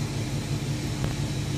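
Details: Chevy Express van 4.3L V6 after repair: the P0300 and cylinder 5/6 misfire was traced to bad lifters, all lifters were replaced and Lucas oil stabilizer added. Steady, even low hum with no missing beats or stumble, running normally, and no check engine light.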